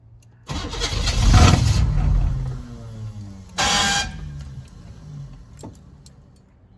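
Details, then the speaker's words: Newly bought truck with glow plugs, start attempt. Starter cranks, engine catches in a short burst, dies, surges briefly again and fades. Fires but won't keep running; owner assumes it is out of fuel, not yet diagnosed. "Well, she fired for a moment. She's dead. I'm gonna assume it's out of fuel, because it fired for just a moment and then died."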